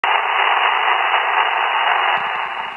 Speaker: all right you guys hear that that is rf noise or qrm and today i wanted to show you guys some of the ways that i tracked down rf noise here in the house